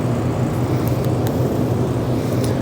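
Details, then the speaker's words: Shop overhead heater above the alignment rack, outside temperature in the 30s °F; steady, deep, even roar with no knocks or surging. Heater running normally at high output, blamed for disturbing alignment cameras. "So as it turns out, you can hear the roar of the heater up above the alignment rack. This rack was just moved into this area just recently, and we hadn't done very many alignments. And since it's in the 30s outside, that heater is going crazy."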